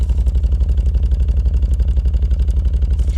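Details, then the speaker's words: 1999 VW Eurovan VR6 petrol V6 at idle with a steady uneven lope, about three dull beats a second; suspected single-cylinder misfire, not yet diagnosed, OBD2 scan planned to find the cylinder; battery weak, air conditioning off. "sounds like a single misfire I could run a diagnostic on it"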